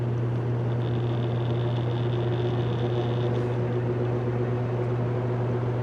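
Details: Vintage General Electric 3-speed reversible box fan, heard from the back during a low-to-high run-up: steady low motor hum and even airflow rush, no ticking, rubbing or wobble. Normal running.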